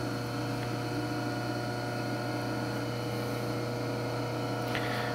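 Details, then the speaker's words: Clausing 5913 lathe variable speed drive, new belts, hydraulics bled, lathe not bolted down: steady low hum with fine constant vibration felt in floor; owner suspects upper belt when clutch engaged. "you know there's a hum it's a real fine vibration you can actually feel it in the floor just a little bit because we're not bolted down"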